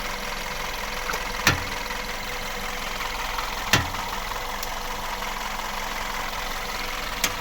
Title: VW Golf Plus стук при повороте руля на месте